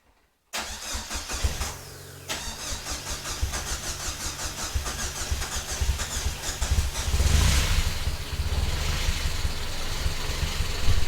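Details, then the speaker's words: Vauxhall Nova on first start with new stainless exhaust: cranks a couple of seconds, catches on throttle and runs rough and uneven; hard cold start without enrichment, afterward idling very rich at 10.0 on gauge. "You're Gonna Want a little bit of throttle to get it going foreign still wants a little bit of throttle still needs a little bit give us a little bit of throttle let's try again"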